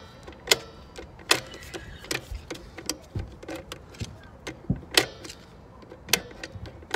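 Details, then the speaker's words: Trailer electric drum brakes on a Dexter 5200 lb axle, after brake and bearing replacement: sharp separate metallic clicks every half second to second as the adjuster star wheel is turned notch by notch; adjusting brakes. "okay basically just keep dating it here you'll hear it when it clicks"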